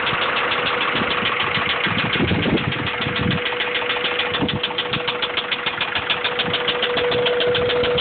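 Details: Honda B16 engine at idle with a sharp, even knock about three and a half times a second over the engine note; rod knock is suspected, not confirmed.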